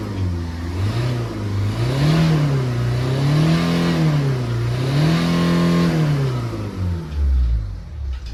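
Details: Toyota Etios with low pickup, after cleaning the blocked boost pressure sensor filter and the carbon-clogged EGR and throttle body. Clean throttle blips rise and fall smoothly with no hesitation, flat spot or miss during the boost check; normal revving.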